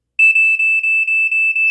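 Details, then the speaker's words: Vintage early-to-mid-1980s Black & Decker Flamebuster SMK-6D/M1 smoke detector (made by Ei Electronics, Ireland) on test: fast coded high-pitched beeping, about seven short pulses in under two seconds. The coding is slower than a GE warble; a normal, healthy alarm. "It's like a really, really fast 5-6 or"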